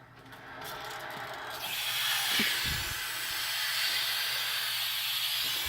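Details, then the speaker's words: Hot water heater tank being flushed with the breaker off; after the valve was shut, a steady high hiss builds and holds with faint knocks as air rushes out through the drain valve, which the owner can't get to stop. "Yeah, it is off. It's just going to be a lot of air coming through it for a while."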